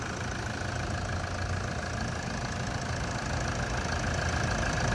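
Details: 2012 Toyota Vigo 3.0 diesel automatic: starts on the first try without throttle help, no smoke, then an even diesel clatter at a steady cold idle, rhythm holding without misses or hunting. Normal healthy idle.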